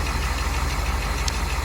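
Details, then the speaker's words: Dodge Challenger with 318 V8 after cold start, idling: steady low pulse with a faint quick tick, which the owner attributes to a slight exhaust leak; engine otherwise running well. "there we go a little bit of a slight exhaust leak that's what you probably heard right off the start when i started this thing like i said i mean little little tick but this thing is running pretty good"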